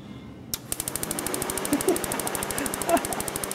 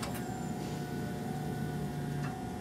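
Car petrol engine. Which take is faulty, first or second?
first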